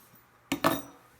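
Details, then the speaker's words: Drake R4C receiver with 6HS6 mixer tubes: two sharp metallic clinks as the set is tipped, crystal calibrator loose inside chassis after mounting pegs came loose, crystal possibly damaged; loose internal part rattle. "this was not attached in the radio and was bouncing around i think the crystal got wrecked because you can hear it's floating around in there"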